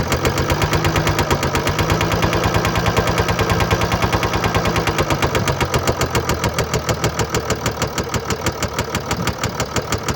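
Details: 2013 Mercedes-Benz E350 4Matic diesel, 2987 cc, 195 kW/265 PS, engine code NZAAB501, 224,763 km, cold idle: hard, uneven rapping of about three knocks a second over the engine note; knocking from bearing damage and a defective injector.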